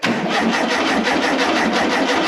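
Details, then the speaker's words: 1973 (possibly 1974) VW Super Beetle barn find, sat 16–17 years, first run after cleaning points to restore spark: engine catches and chuffs at a quick even beat for a couple of seconds, running only on fuel sprayed into the carburetor; fuel pump untested. "I don't know if this fuel pump's gonna work but just to hear that it runs oh it's so great"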